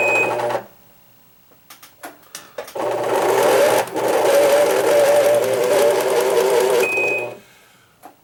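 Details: Singer Quantum XL1000 sewing machine, donated but too noisy to use, run without thread: a loud, rough grinding rises, then stops. The main motor bearing is worn.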